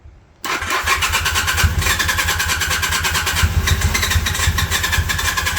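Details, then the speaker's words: 1981 Honda CM400, first start after sitting since 2000, fuel turned on, carbs still filling: fast even cranking about three and a half beats a second, one cylinder occasionally catching but not running alone. Cranking, trying to catch. "Come on. Come on, girl. Sounds like one's hitting."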